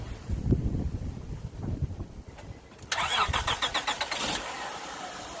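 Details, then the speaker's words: 2000 Acura TL, before throttle body cleaning: cranks, catches, then the idle pulses up and down instead of holding steady. It jumps between about 1,500 and 3,000 rpm after a few minutes running; cause unconfirmed. "and this is the symptom that we're having here rpms or jumping from low"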